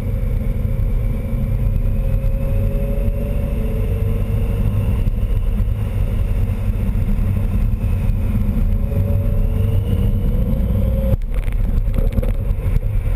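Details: VW R32 with a supercharger, recorded with the belt on and off: a deep engine rumble with a faint rising and falling whine. The whine was caused by a boost leak at the diverter valve after one of its nuts backed off.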